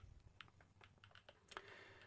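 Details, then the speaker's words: DP-5V military dosimeter in control mode, check source placed at the window: irregular sharp clicks, about six or seven a second, indicating elevated radiation, a crackling that means it is dangerous to be here. "When this device makes such a crackling sound, it means that it is dangerous to be here."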